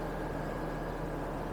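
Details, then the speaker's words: 2007 Hummer H3 manual, 3.7L inline five, 150,751 miles, just re-fueled after running out of gas; steady, even low idle heard under the hood, no knocks or ticks, no misfires or check engine lights; normal idle. "as you guys can hear the motor is running well"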